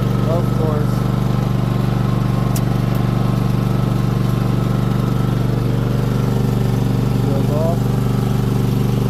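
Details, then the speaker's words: Craftsman T8000 riding mower with 493 hours and a 12.5 V battery, tested after a rat's nest cleanup. Its transmission is checked for the first time, at very low idle. A steady, smooth engine drone with no transmission whine or grinding: running normally. "nice and smooth no winding from the transmission no whining from the transmission that sounds great it's on really low idle"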